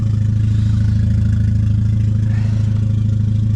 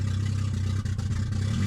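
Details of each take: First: Petrol car ("the egg") idling steadily after misfire repair, settled down after running a while; deep even hum with regular soft pulse, no stumbles; normal warm idle, rear main leak still suspected. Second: Cold petrol engine on startup after a misfire fix and four new plugged-in parts idles low, rough and uneven, bogging and needing revs every few seconds; a stored cold start idle system code is being diagnosed; a rear main leak is also suspected.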